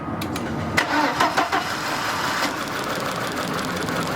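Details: 2003 Volkswagen Passat 1.8 Turbo right after starting: idle stumbles with uneven lumpy beats; misfire traced by swapping coils to two faulty ignition coils, camshaft position sensor also replaced.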